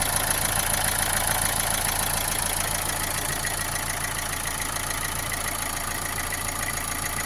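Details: Opel Astra J 1.7 CDTI diesel after an oil change: steady idle with a regular knock about three times a second over the clatter, plus vibration; runs well, no smoke, cause unknown.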